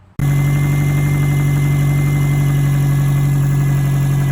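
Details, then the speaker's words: 2007 Subaru Impreza WRX engine started during build: rough idle with steady light knocking that gets heavier on acceleration; owner believes rod knock, intake cam position sensor circuit code also present; unconfirmed. "is what she sounds like i got her to run but there's a slight knock and it gets heavier once you accelerate but you can hear it [Music] definitely got a rod knock"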